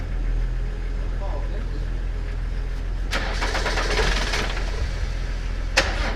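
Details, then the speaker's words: Land Rover Discovery 300Tdi diesel bought at a Copart salvage auction, running after a jump start, with oil above maximum. Steady low rumble that swells cleanly when revved and settles back, no knocks or misses: healthy. "oh right it runs so let's see if this works"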